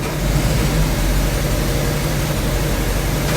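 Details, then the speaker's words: 1984 Chevy C10, fire-damaged with melted parts, finally running with spark restored: deep, smooth, even rumble with no misses or knocks as it first starts and warms up; engine runs cleanly. "Yeah, it is on. It is on now, so. Oh man, I'm excited. All right, so we got it. It's running."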